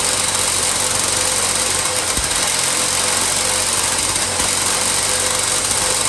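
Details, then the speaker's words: 1970s EZGO golf cart after internal starter-generator repair and the spark plug reinstalled: the small engine runs at a steady, even pace with a constant buzz and no knocks or stumbles, sounding healthy. "all right let's check them first seem like it's running good see so okay guys we're gonna take it out for a drive now"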